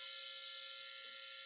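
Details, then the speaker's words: 1994 Squier Mexican Telecaster through an amp: constant harsh buzz in bridge position that stops when touching the neck pickup. Amplifier hum/buzz from a suspected grounding fault. "So there's lots of buzzing. Oh. So it's buzzing a lot on the neck, or on the bridge position. It's buzzing a lot."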